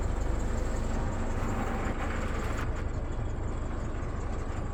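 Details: 2015 Isuzu D-Max 4JJ1 diesel, 314,000 on the clock, after replacing a main fuel filter clogged by old bad fuel and priming the system. Steady, even diesel clatter at idle with no hunting or stumbling; running clean with no air in the fuel.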